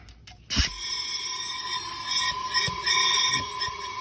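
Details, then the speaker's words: 1.5L Honda with a cylinder 4 misfire and low compression, leak-down tested at top dead center: steady hiss of compressed air escaping into the neighbouring cylinder, suspected burnt exhaust valve. "hopefully you hear that it's actually coming out of that other cylinder"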